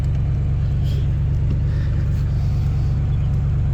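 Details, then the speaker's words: 2003 Ford F-150 ex-plow truck, still cold after start-up: deep, even, steady idle with no ticks, knocks or misfires; the engine seems healthy and quiet. "She's still cold. Do a nice little rev limiter while she's cold here. So engine seems pretty healthy. It's actually nice and quiet up here."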